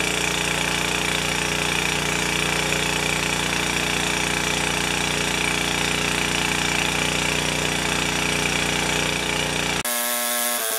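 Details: 4HP Ariens snowblower with a Tecumseh engine, after an exhaust valve grind restored compression. Fast, even single-cylinder beat holds steady with no misses or stumbles. Normal running.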